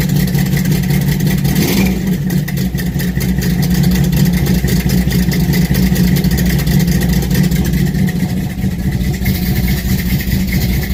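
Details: 1968 Dodge Charger R/T V8 cold start at about 40 degrees after pumping the pedal three times: deep, loud, steady rumble at fast cold idle with slight lope, running evenly without misses; normal cold start.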